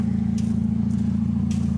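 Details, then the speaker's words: Wrecked Chevy Cobalt left idling after a hard front crash: loud raw throbbing idle with fast even unmuffled puff-puff pulse; exhaust leak because the muffler broke loose from the front pipe, thought to have been knocked off in the accident. "You can hear the exhaust on it. It's because the muffler's broke loose from at the front of the pipe, which is not an issue."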